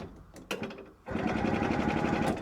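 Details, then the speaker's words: 1970 Willam Fourgonnette micro van, 125 two-stroke after 20 years parked, cranking with spark plug fitted: short burst of even, firm chuffing, no hiss or limp spin; good cranking compression. "Yeah, it does sound like it's got compression."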